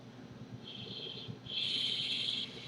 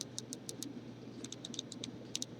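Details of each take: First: Uwell Crown sub-ohm tank vaped with airflow wide open: a thin, high whistle rises on each draw over a soft airy hiss; the airflow whistle may come from the fully opened airflow. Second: Uwell Crown sub-ohm vape tank, airflow control ring turned: crisp light clicks in quick runs, each snapping into a detent; very clicky airflow adjuster, normal for this design.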